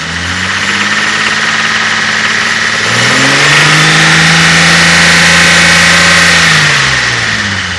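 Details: Toyota 5M-GE engine at idle then a rev blip: fast tapping clack following engine speed; owner unsure whether lifters, knock or piston slap.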